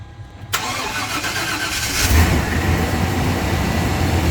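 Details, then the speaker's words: Rust-free Silverado started after sitting a while and a trickle charge on the battery; cranks briefly, catches and settles into a steady, even idle with no knocks, misses or leaks, a little smoky, oil pressure good; healthy cold start. "boys doesn't appear to have any leaks yet sounds healthy said she been sitting for a minute she's a little bit Smoky"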